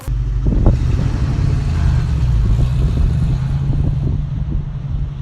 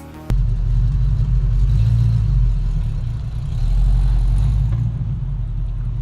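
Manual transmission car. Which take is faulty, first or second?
second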